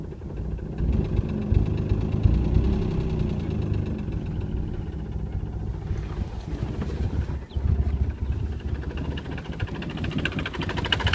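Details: Nissan 300ZX: low, uneven lumpy idle with a dull knock; the engine shakes a lot and idles poorly. Rod knock suspected, unconfirmed.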